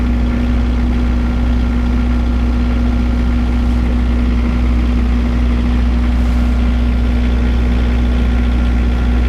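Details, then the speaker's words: Surplus military 15 kW diesel generator running under no load: steady low drone with an even beat and no knocks or rattles; not the quietest version but not bad. "you can tell it's it's it's not the super duper quiet version but it's not bad obviously"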